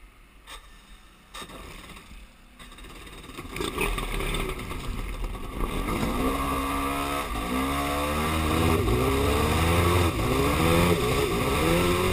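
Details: Yamaha Superjet runs as if on one cylinder after refuelling following 1.5 hrs trouble-free; fresh gas didn't help, compression even; sputters and revs unevenly, down on power: misfire, owner suspects plug wires or ignition.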